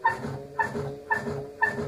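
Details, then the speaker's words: LG F1056MD washing machine, drum turned by hand: a squeaky rubbing chirp about twice a second with each turn, like metal rubbing plastic. Something inside catches the drum; knocking during spin was also reported. "значит проблема какая если открываем и начинаем прокручивать то слышно такой звук вот так затирается что-то как будто металлопластик"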